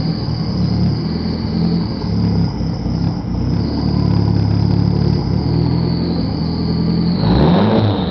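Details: 1995 Eagle Talon TSi 4G63 with new timing and balance shaft belts, 200 miles later idles roughly, surging, backfiring and dying, acts like jumped timing; compression and coil packs test good; owner suspects ECU.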